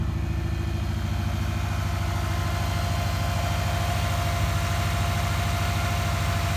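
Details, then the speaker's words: 2003 Subaru Legacy BH5 wagon, 2.0 twin-turbo, 5-speed manual, first run after sitting about two years: even, steady, quiet idle with no knocks or bearing noise; the belt is slightly noisy; a healthy engine. "pretty quiet pretty sweet no bearing noises um belt's a little bit noisy but by that he's a runner"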